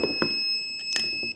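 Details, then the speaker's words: ATGFOX 8250A jump starter, clamps touched together in a test: single steady high beep of about a second, warning the cables are wrong and must be reversed. "That sound tells you that the cables are not the way they should be and that you have to reverse them."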